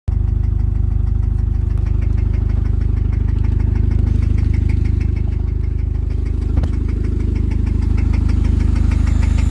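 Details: 1999 Honda Civic petrol engine idling with a steady, deep, evenly tapping rod knock underneath the running sound.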